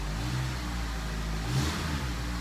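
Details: 2003 Honda CR-V, first cold start after timing chain repair, no check engine light: deep, even engine note with a clean short rev and smooth return, no knocks or misses; normal revving, owner suspects a bad muffler rather than exhaust leak.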